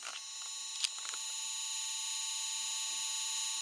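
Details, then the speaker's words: Yuneec Typhoon H with CGO3+ camera fitted with aftermarket 8mm-type lens, powered up on the bench without props; a thin steady high-pitched buzz as the gimbal motors strain against the rear-heavy, slightly out-of-balance camera. "And because the camera is a wee bit rear heavy and out of balance, you'll maybe hear it make a weird noise. It'll maybe buzz because the motors are just struggling that little bit because it's just out of balance, just that wee hair."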